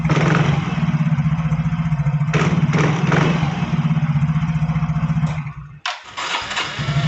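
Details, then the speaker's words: Yamaha Fino automatic scooter after CVT repair: even thumping idle at about four beats a second with clean throttle blips. The earlier crackling (kretek-kretek) noise when snapping the throttle is gone, and the belt drive runs smooth. "dengarkan Kang Bro saat saya e sentak gasnya ya di sini tadi suara kretek-ketek terdengar sepertinya ini sudah hilang"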